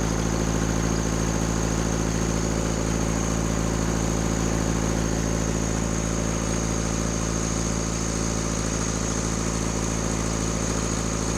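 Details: Rebuilt Cummins diesel in a Case 1840 skid steer at raised rpm, throttle held open. A steady drone with an uneven pulse about three times a second indicates a misfire. In the balance test, loosening cylinders 1 and 2 changed little but lessened smoke; the fault is narrowed to those cylinders.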